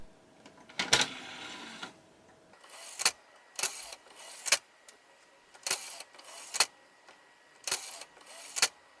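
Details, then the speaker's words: PS2 fat console after fixing a stuck disc tray: short motor whirs ending in crisp clicks repeat every second or so as the tray cycles smoothly, with no grinding or stalling; normal tray operation. "I think we've done enough testing now to say that this console's drive tray is now working correctly."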